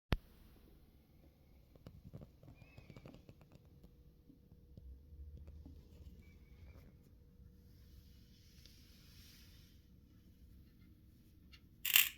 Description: This PSU BE QUIET Dark Power 13 1000W produces a very weird noise while turning it off which resembles very much to the typical short-circuit or false contact electrical noise.